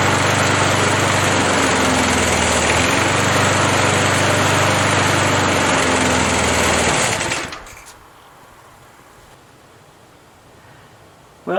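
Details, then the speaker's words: Hot restart on half throttle, 37-year-old Montgomery Ward 20-inch mower, Briggs & Stratton 3.0 hp model 92502 Vacu-Jet carburetor, after choke diaphragm replacement fixed hard hot starting; steady even buzz then clean shutdown, running healthy. "i think it's safe to say it's fixed and we'll call that job done"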